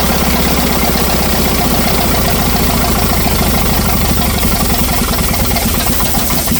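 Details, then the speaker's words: 1964 LeRoi 125G1 trailer air compressor, straight-piped with no muffler: loud, uneven chugging under heavy compressor load, firing labouring and slowing as if about to stall; once pressure builds it struggles with the load, possibly not warmed up enough. "It's like once it gets up the pressure, it's struggling to make up for the load."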